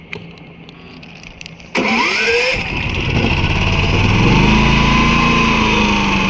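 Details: Predator 11,500 W inverter generator, first start with no load for break-in: short crank catches, revs climb then settle into a smooth steady run with no knocks or misses; normal running.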